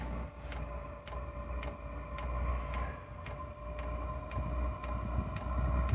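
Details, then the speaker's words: Diesel heater just fired up on its first biodiesel test, with residual kerosene still in the line: quiet burner rumble and steady fuel-pump ticks about twice a second. No smoke seen from the exhaust; running normally. "right so it has fired up we'll have a quick look at safe have a look at the exhaust so I can't see any smoke out that exhaust at"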